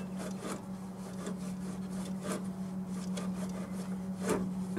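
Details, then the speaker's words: Toyota Hilux 5L diesel: slow uneven crunchy clicking as the alternator pulley is turned by hand, rough worn bearing suspected as the engine noise source. "so I'm pretty sure the noise is coming from here maybe the bearings in the sky you can hear a bit of a clucking noise"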